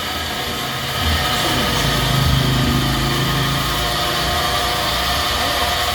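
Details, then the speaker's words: Flood-damaged ice cream machine after repair, all parts now operating and making ice cream: steady motor hum with constant rough whirring undertone; only fault left is a noisy bearing, which will be replaced. "Yung bearing na lang yan ang papalitan ko. Kaya ito mga kabutingting, nag-ooperate na lahat ng pyesa nito. Bearing na lang ang sira. Maingay na lang."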